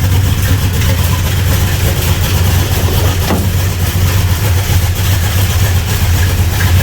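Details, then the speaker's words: 1975 Plymouth Road Runner with a swapped Chrysler V8 and an electric fuel pump, firing right up on the key: a deep, even idle with a steady low rumble and no knocks or misses. Normal idle. "Fired right up with on the key. That's the sound of reliability. That's the sound of 1975 Chrysler fuel crunch."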